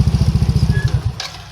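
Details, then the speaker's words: Yamaha NMAX with sudden shutdowns from too many accessories, fault traced to the ignition key switch: single-cylinder scooter chuffs in quick even beats at idle about a second, then shuts off cleanly; nothing abnormal. "Oke teman-teman, jadi untuk motor udah hidup. Jadi masalahnya ada di bagian kunci kontak ya."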